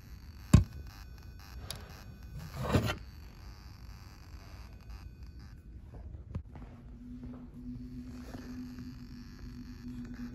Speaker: The field over here seemed to be having a lot of interference, if you listen. Some of these you can kind of hear like a weird tone in the background. It almost sounds like a low frequency Simplex tone.